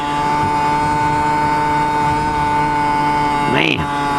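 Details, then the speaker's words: Yamaha QT50 two-stroke moped with upgraded exhaust, new primary jet and ram air, on a top-speed run near 35 mph, temperatures staying good: loud buzzy note held constant at full throttle without stumbling; normal full-throttle running. "she's ripping that's all she's got there ain't no way you're going to get more out of this motor ped not at this point"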